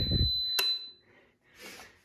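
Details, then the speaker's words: PowerJack 12000 W low-frequency pure sine inverter, fine at 4.5 kW of hair dryers, shut off right away near 6 kW: short shrill steady beep with a thump, then near silence as it cuts out; overload alarm and shutdown. "couldn't handle the six kilowatts shut off right away so it handled 4.5 very well"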